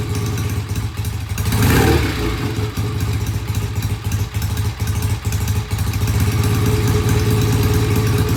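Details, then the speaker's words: Vintage British motorcycle the client couldn't start, kick-started with carburetor tickled: single-beat idle lumps along with unevenly spaced pulses, sagging after a blip, and won't hold idle; pilot jet cleaning and idle adjustment are planned, cause unconfirmed. "it won't idle let's start it again just see if I'm warming up long enough to let it idle doesn't sound good sounds uneven"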